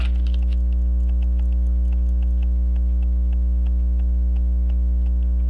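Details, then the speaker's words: Waltham Appleton Tracy 18-size 15-jewel pocket watch after tightening loose hairspring collet: even ticking about 200 per minute over mains hum, beat sounds weak; running but not well, cause uncertain. "oh it's running it's not running that good if you ask me"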